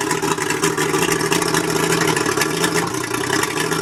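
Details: Mercury 135 outboard idling rough: an uneven, stumbling, irregular buzz like a cylinder misfiring at idle; the spark plugs are suspected but not confirmed.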